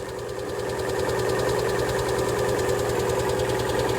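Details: 2018 Lada Vesta 1.6, 84,000 km, cold start at −30 to −32°C: busy, uneven ticks and light knocks about three a second; owner suspects hydraulic lifters, piston slap and the adsorber valve, not confirmed.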